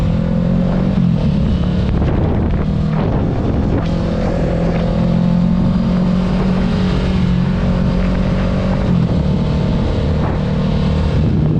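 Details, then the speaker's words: 2022 Kawasaki Ninja 650 after tightening the windscreen screws and mirror mounts. Even engine drone at cruise with wind noise and no buzzing from the front screen; vibration mostly gone: normal running, no windscreen rattle. "Okay, so as I was saying, as you can see, the vibration is mostly gone."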